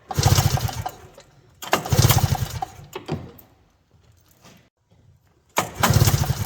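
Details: 1982 John Deere Liquifire 440 liquid-cooled snowmobile, barn find sitting about 20 years, carbs cleaned and spark confirmed on both cylinders: three pull-start yanks of low chugging, fading between, turning over without firing.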